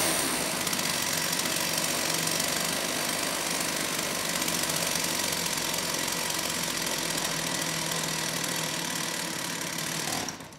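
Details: STIHL 028 AV Super chainsaw, rebuilt with non-OEM parts after being run on straight gas, started choked: high, thin, ragged buzz with an uneven beat, running lean; opening the low-speed jet a bit made it sound a little better.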